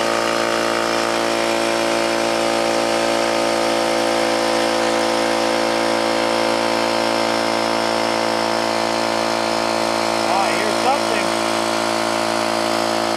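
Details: New oil-lubricated Campbell-Hausfeld air compressor, regulator fully down and drain valve closed, filling tank under load: even steady motor drone with smooth pumping rhythm about four per second, no knocking or clatter; healthy.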